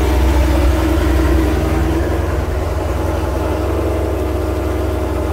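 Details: Dodge Charger/Challenger/Chrysler 300C after installing high-flow fuel pump, just started: steady even low idle with smooth regular beat, no knocks or misses; normal idle.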